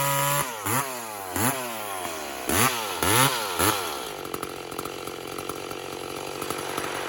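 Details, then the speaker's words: Walker-ported 850 chainsaw with 32-inch bar and hand-filed skip chain, about its second run, carburettor set fat for break-in; blips up and down, then burbly uneven note in the cut; rich carburettor setting during break-in. "Anyway, We're running it fat for now, friends. it's a bit fat, this power saw. This is I think its second run."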